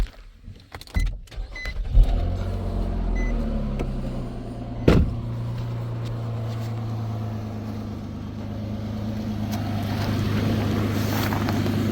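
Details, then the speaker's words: 2016 Nissan Maxima after DIY welding repair of rusted exhaust: starter whirs, engine catches and settles into smooth, steady idle with no puffing or ticking from the exhaust; quiet. "All welded up. At least now you can drive around. Peace quiet."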